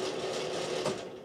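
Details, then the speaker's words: Old, crusty bathroom exhaust fan being replaced with a Panasonic FV-11VQ5 110 CFM fan: steady whirring drone with a rough, wavering, rattly buzz, extremely loud and near failure. "And as you can hear there, it's extremely loud and it sounds like it's about to fail any day, so I'm going to get that out of here."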